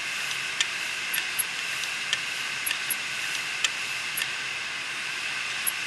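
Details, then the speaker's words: Western Digital 500GB external USB hard drive, damaged after falling over. A steady high hiss with irregular ticks about every second or two; the heads have crashed onto the platters. "what I'm trying to show here is one of my videos I have uh heads left on the platter and uh that's often a very fixable thing in the desktop hard drives"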